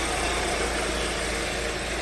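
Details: 2014 Hyundai Sonata 2.4, towed in with flashing MIL, power loss and code P1326 excessive knock activity: smooth even idle, no ticking or knocking heard; knock sensor suspected of picking up injector EMI; aftermarket oil filter present.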